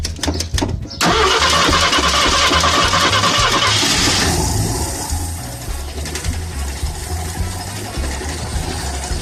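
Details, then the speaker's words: Ford Granada that sat almost 20 years, fuel pump pressure to the carburetor checked and carburetor clean and clear; brief cranking, then it catches straight away, flares and settles to a steady even idle: normal start and idle. "fuel pump I checked it's getting fuel pressure to the carburetor carburetor was clean and clear we should be able to get it to start and idle on its own so here we go"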